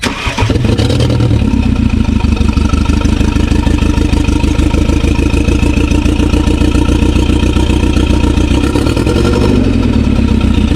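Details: 2016 BMW 428i xDrive (F32), started after checking a part replaced months ago: the engine catches and settles into a lumpy, stumbling idle with aggressive shaking; it is misfiring badly and the cause is not yet found.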